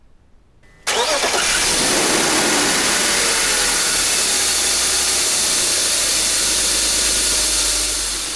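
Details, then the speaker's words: BMW M52 engine (E36/E46/E39/E38 family) after replacing a noisy alternator that still charged: starter catches at once, smooth steady idle, even hiss, no squeal or chirp; voltage rises from 12.65 V to 14.30 V, no warning light; normal start and idle. "14.30 c'est bon l'alternateur marche et je suis super content vous entendez j'ai pas de couinements"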